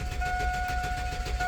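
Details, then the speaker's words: Budget-build 4x4: the starter whines and the engine turns over with an even chugging rhythm but never catches. Cranks but won't start, no spark; tune-up parts have been ordered. "it spins all day but will not start. It is not getting fire."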